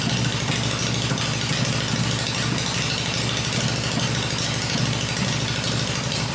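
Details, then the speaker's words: Freshly built Harley Evo V-twin on a test stand, first fire-up with open exhaust: loud open-pipe loping at steady idle, even beat with no knocks or misses; normal healthy idle. "ired up it's running the engine's smooth I cover the exhaust pipes up and that way I can hear everything in the engine working without listening to the exhaust this motor sounds really good I'm really pleased"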